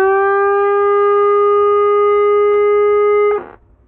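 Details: Chinese CRT TV with no audio: loud, steady, pitched howl from the speaker for over three seconds, then cuts out; hum in the sound stage, capacitor replacement tried and sound supply voltage checked, reported fixed afterward.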